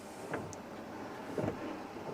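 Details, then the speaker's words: LGV truck daily defect check: windscreen wipers on low speed via right-hand stalk, soft swish and faint motor whir about once a second at an even pace; normal wiper operation. "so I'm going to now test the 3 speeds of the wipers. So 1 click down with the right hand stalk, we're checking the intermittent setting is working."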